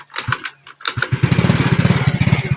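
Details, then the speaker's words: Yamaha Mio Sporty scooter that had a weak battery and a dead regulator and used to stall when braking. A few starting clicks, then a steady, even putter with no stumbling; brakes no longer kill it. Normal running. "po nague niyan battery niya mahina tapos regulator niya Hindi nagana kaya pag pineo namamatay ngayon okay na goods na"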